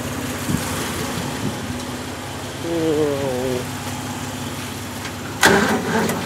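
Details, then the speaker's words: Bone-cold 1965 Jeep CJ5 just fitted with an XF Falcon electronic ignition, jump-started: cranks and catches unevenly, stumbling before settling; flooding, owner suspects fuel supply or carburettor issues; rough cold start. "okay hey it's bit funny at the moment because it floods so I don't really know but once it gets going is not too bad"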